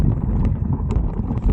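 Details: E-bike front hub motor ticking when coasting off the throttle with no power drawn: rapid uneven ticking from the front hub with some wind rumble behind; cause not obvious.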